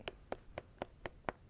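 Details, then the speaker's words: Roller skate wheel with the axle nut correctly adjusted, neither loose nor too tight, spun freely: light, evenly spaced clicks about four a second, crisp and consistent, no deep knock; proper adjustment. "You see the sound, it's a little bit deeper on one, and you can kind of hear it going over each groove if you listen closely. And again, this is what it should sound like."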